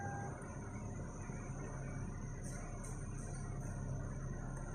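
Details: Lexus with a no-crank, no-start fault, after the starter relay circuit was checked and fixed: a quiet, steady, low engine hum with no stumbling or clatter. The engine now starts and runs normally.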